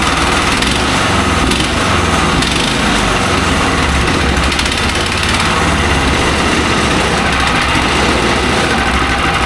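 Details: Mech Maxx SM-22 sawmill's small single-cylinder engine on its first start, after firing on the first pull. Steady, even fast idle with a crisp, unbroken exhaust beat; running normally.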